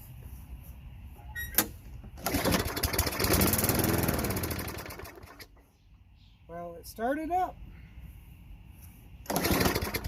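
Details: Craftsman 22-inch mower, 5.5 hp Tecumseh, sat about 10 years, primed then given starter fluid before carburetor service: fires and runs roughly about three seconds, then fades and dies; fuel starvation from plugged carburetor bowl-nut main jet.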